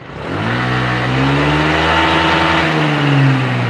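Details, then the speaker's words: Honda Vario scooter, cold, after repair of cold hesitation where revs used to hang: revs climb cleanly and quickly without stumbling, then hold steady; now normal. "ini langsung naik Pak rpm nya kan ini nggak ada rpm nya bapak bisa lihat spidolnya dari putaran roda belakang bahwa peningkatannya itu cepat nggak ada ketahan dari suaranya udah sembuh Pak normal"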